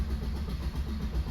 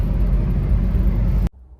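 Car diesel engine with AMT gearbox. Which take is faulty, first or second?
first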